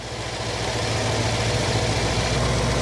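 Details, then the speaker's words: Jeep CJ-7 with an AMC 304 V8, after carburetor idle mixture screw adjustment in quarter turns: a steady, even idle with a smooth low burble, no stumbles or misses. The mixture is at the sweet spot and the engine runs clean. "Yeah, I think we found the sweet spot there. I'm going to leave that rascal right there."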